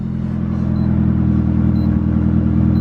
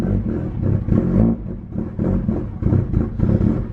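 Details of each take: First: Mitsubishi Evo after fitting intercooler piping and blow-off valve, restarted once the half-plugged mass airflow sensor was reseated and codes cleared: smooth, even low idle rumble, no misses; normal idle. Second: Mitsubishi Evo after intercooler piping and three-port blow-off valve install: lumpy, surging idle rising and falling about every half second, engine light with intake air temperature and mass airflow codes; MAF sensor connector only halfway plugged in, codes cleared and reseated.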